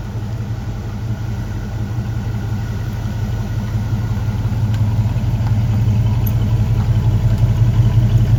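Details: 1965 Ford Ranchero after new cam, lifters and timing chain, first start held at 2,000 rpm for cam break-in: deep even hum, no knocks or ticking; sounds healthy. Normal fast idle.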